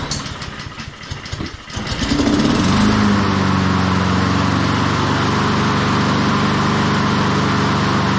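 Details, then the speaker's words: Honda HRN216 mower, one season old, after no-start repair with carburetor cleaning, fresh fuel and spark plug check: short pull, starts on first pull, settles into steady, even idle with no misses; runs healthy. "there she is first pull I figured to take at least two or three but uh yeah first pull"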